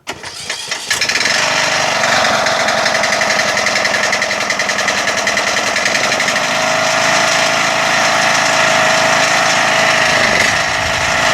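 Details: Rebuilt 21 hp lawn tractor engine, sitting for some time, started on choke: brief cranking, then it catches and settles into a steady, fairly even fast idle with no knocks or misses.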